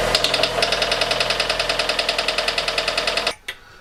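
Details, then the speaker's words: Fiat 500 at idle after cambelt and water pump replacement: sharp metallic ticking, about 3.5 per second, tied to engine speed. Via stethoscope it is like a knife and fork ting, duller lower down, loudest at the water pump end. Cause suspected, not confirmed. "it was basically like someone hitting a knife and fork together very metallic ting ting ting ting whereas down here it was more of a sort of a dull mechanical sound so it's louder at this end and even louder at the water pump on there"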